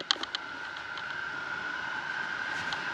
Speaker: we have an issue with the uh sliding door on our balcony I don't know if you can hear this and I'll put the camera up to it but the wind is whistling through the door